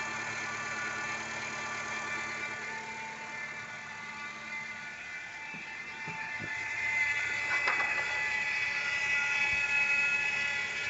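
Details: 2012 Nissan Sentra at idle with the accessory belt removed: a quick regular tick rides over a high ringing tone near the crankshaft pulley and persists without the belt. Crankshaft pulley noise, cause unknown.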